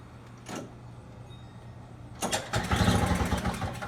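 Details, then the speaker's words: Snowblower with flooded carburetor, starting fluid sprayed in: quiet, then catches at about two seconds into a fast, uneven, busy idle running too high, very smoky. "Really didn't think it was gonna start, honestly. Sounds like it was idling really high. It's very, very smoky."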